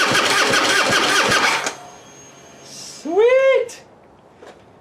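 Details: Harley Heritage Softail twin after fuel pump replacement, no fuel in tank: quick, even chug of the starter for under two seconds, no firing; starter cranks strongly and normally.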